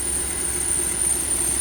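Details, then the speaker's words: 2009 Lexus GX470 at idle, hood open, AC and heater off so compressor off: thin, steady, very high-pitched squeal over a smooth idle; engine bay squeal, source not pinned down. "So, the compressor is off cuz I don't have the AC or the heater on and it's making that squeaking sound."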